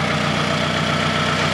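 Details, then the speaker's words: Worn old car nicknamed Old Clanky, warmed up at idle: rapid, regular metallic clanking over the engine note plus some valve clatter and other noise, source undetermined; engine clanking at idle. "once it warms up then you can hear it at idle flanking around I can hear it a little bit there's also some other valve clatter and other noise"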